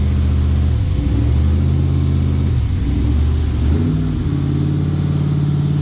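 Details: Freshly rebuilt LS V8 in a Jeep on first fire, new cam, not yet tuned: deep even rumble held at a fast idle of about 2,000 rpm on purpose to seat the new piston rings.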